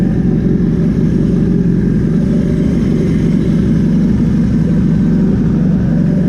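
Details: Glamis sand car on E85 after swapping in a new A1000 fuel pump, cold start: deep, steady, even engine drone with no knocks, misses or surging; running smoothly and healthy.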